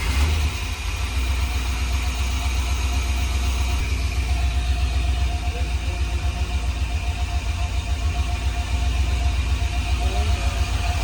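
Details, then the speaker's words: LS V8-swapped Nissan 240SX S13 on standalone ECU, new motor, first start, little tuning needed. Deep, slightly lumpy V8 idle holding steady, no knocks or misses; normal idle. "She's idling. So, since the first start, um I didn't really have to do much tuning."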